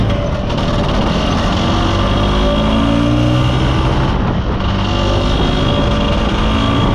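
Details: Mostly original Spanish Lambretta Jet 200 two-stroke scooter on test drive under load: pitch creeps up slowly then sags flat instead of revving out, mid-range splutter; main jet too big, running rich.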